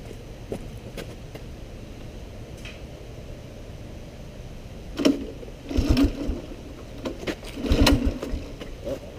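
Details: Honda ATC185 three-wheeler brought back to running after heavy neglect: a low, steady single-cylinder putter with a couple of clean throttle blips and no knocks or rattles; the engine sounds healthy.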